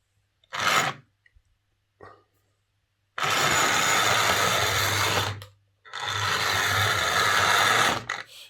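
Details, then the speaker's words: Hornby R041 GWR Class 57xx Pannier tank model loco before repair, reported to spark, hesitate and need a push; motor whirs in harsh bursts, stop then full speed with nothing between. "he said that it sparks when it's running and it's hesitating and often needs a push"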